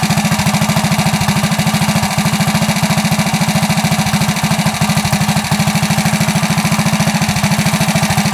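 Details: Coleman CT100U minibike single after header upgrade with new larger muffler and ported jet: steady, even thumping at a fast idle with no misses and a muted, mellow exhaust, much quieter than before.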